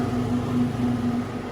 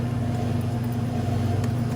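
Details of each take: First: Delfield make-up table condensing unit after the loose stainless panel was screwed tight on both sides: an even low compressor and fan hum with no metallic rattle or buzz left, running normally. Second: Delfield make-up table, condensing unit running: a steady low hum with a droning buzz from a loose stainless metal panel vibrating against the running compressor.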